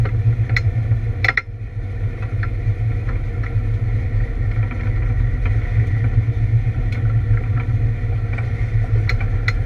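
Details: ABR Camaro on misfire laps: deep engine drone under load broken by irregular stutters and sharp pops upsetting the firing rhythm, a misfire of unknown cause.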